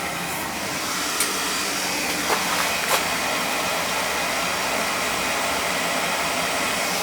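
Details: Newly installed oil boiler replacing a 35-year-old unit with a leaking coil, firing on the first-floor thermostat call. Steady, even roar with a constant airy hiss and no pulsing or surging: the burner is firing cleanly and running normally.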